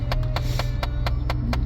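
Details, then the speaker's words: 2009 Chevy Impala idling with air conditioning switched on: sharp, even clicks about four per second from behind glove box/radio over low idle hum; common blend door actuator fault, the heat/air door actuator skipping. "and that's you hear that sound right there that is um one of the most common things in a Chevy Impala behind let's see behind the glove box and behind the radio and then over here there there are actuators and the actuators um they there're it's like a little door that switches from heat to air"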